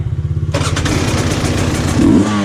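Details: 2020 KTM 300 XCW TPI, warm, after crankcase pressure sensor replacement and key-off 5-second reset: barks to life and revs crisply with no hesitation off idle; off-idle stumble gone, pulls clean and strong.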